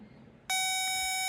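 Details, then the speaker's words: Oliver 88 row-crop tractor that sat 20 years, after a replacement ground cable by the starter: the meter probe gives a sudden clean, steady high beep reading zero with no dropouts. Good ground connection, and the tractor then cranks far better. "zero good that's a much better connection all right so let's check down below what do we got zero zero that's what you want"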